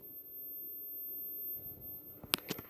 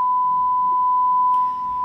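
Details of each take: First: Vizio SB 300 series sound bar, opened, speakers unplugged from main board, restarting itself and failing to turn off: thin constant very high-pitched whine under handling clicks from a faulty inductor on the amplifier board, later replaced. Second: Vizio SB 300 series sound bar after replacing a faulty whining inductor, fed a 1 kHz function-generator signal, amplitude raised to 0.5 V: clean steady high tone, louder, with no crackle, buzz or dropouts; plays back normally.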